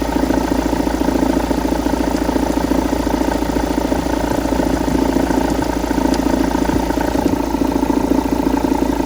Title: Engine knock after flywheel replacement